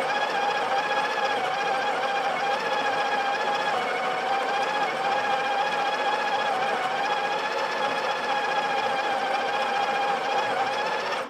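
Even, steady high buzzing whir for about eleven seconds, then a clean stop; the grinder runs smoothly and doses without strain.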